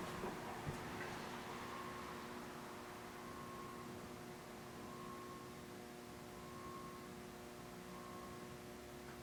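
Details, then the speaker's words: St. Louis Fan Company Swirl Series model 1905 36-inch ceiling fan on lowest setting, factory low-speed trim unadjusted: quiet, even low hum with a faint steady whir, no ticks or rubbing; running normally on low. "Nice low speed. Yeah. Little bit of hum."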